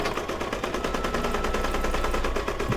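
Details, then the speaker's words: Brother DZ 820E embroidery machine stitching an applique mug rug: fast, even rattling needle tick at roughly ten stitches a second, machine regulating its own speed; steady rhythm, stitching normally. "See, when he slows down, it almost sounds like something's gonna happen. No, they regulate their own speeds. So he kind of goes, woo, woo, you can hear it."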